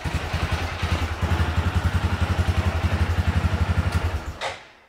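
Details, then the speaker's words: Massimo MSU 500 UTV, battery at 12.3 V, cranks when the starter solenoid is jumped with a screwdriver, then fires right off and thumps at a steady low idle before cutting off; the starter solenoid is bad. "you can just jump across the two it will spark a little bit you hear turn over there we go fire's right off"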